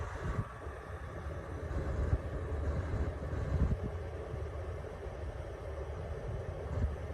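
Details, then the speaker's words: Coleman Mach 10 rooftop air conditioner on inverter/battery power after fitting a hard start kit, low cool at 85°F with the cabin about 90°F, a few minutes in: deep steady hum with no stalling or cycling, running normally. "So far it has kicked on. Sorry. Okay, so far it has kicked on. It has not tripped the inverter yet. So we're a few minutes in and it's looking pretty good."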